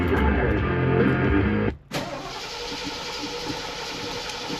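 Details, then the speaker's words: 1976 Ford Thunderbird, start attempt after 30 years sitting: starter cranks at about three turns a second but engine never fires; no fuel reaching carburetor yet despite three gallons added, owner suspects float bowl still filling. "Well, we're not getting gas, so I'm just going to crank it a few more times cuz last time we were getting gas, so probably just taking a minute to fill up that bowl and whatnot."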